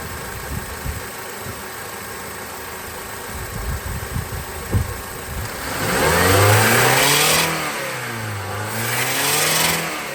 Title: Weird noise around 3000 rpm